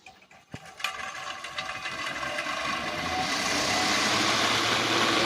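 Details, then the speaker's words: Ventilation exhaust fan, owner reports it gets noisier as it runs: rough whirring rattle builds over seconds with faint regular ticking; motor shaft and bush found worn. "इसमें देखिए आवाज हो रहा है। Party बोलता है कि चलते-चलते और भी ज्यादा आवाज करता है दोस्तों।"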